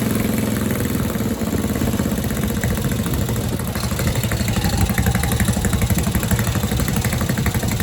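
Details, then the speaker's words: Tecumseh Snow King engine on a snowblower stored all summer with fuel and oil drained, after warm-up: small single chugging steadily, even firing with no misses or knocks, pulling cleanly under load; normal running. "Yeah, she starts up. No problem. No problem at all. It's a beast."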